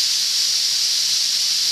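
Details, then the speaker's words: Steam safety valves set at 120–130 psi, blowdown adjusted; steady, loud, high hiss of steam blowing off evenly with no chatter, slight seepage expected: normal safety valve release. "it's beautiful there she goes I love it pop nice and they you know they're all going to leak a little bit you can't stop that"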